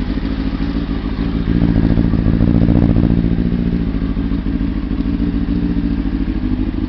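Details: ZX6RR with its plugs cleaned to cure misfire and fluffy running: even, steady four-cylinder idle with a brief rev blip, no stumbles or missed beats; runs cleanly.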